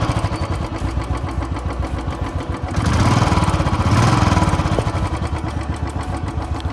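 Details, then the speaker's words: Royal Enfield Signals 350 single after about a year of use: lumpy idle with a light rapid tick on each beat, rising with two throttle blips; owner says tappets, started after 8 months, service center suggested low oil circulation instead. "Can you guys hear the ticking noise? That is from the tappets."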